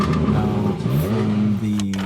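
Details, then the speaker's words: Car exhaust so loud it is unbearable to drive: a deep, raspy drone rising with revs. The exhaust is rusted through with small leaks, later repaired DIY with fire cement and trouble-free after about 300 miles. "okay it is time to fix my girlfriend's car exhaust as it makes so much noise it's just unbearable to drive especially on the high"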